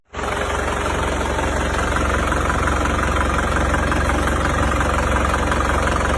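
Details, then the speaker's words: Isuzu Panther Grand Touring Euro 2 diesel with heavy oil consumption, idling: heavy rough chuffing knock and deep rumble; smoke even when cold, thicker hot, spurting from dipstick tube, so compression leaking into crankcase: heavy blow-by from worn liners. "Ya kalau dingin keluar asap berarti sudah dipastikan ini bukanlah uap oli tapi kebocoran kompresi yang masuk ke starter. Kalau kondisi panas mesin ini asapnya menjadi semakin tebal."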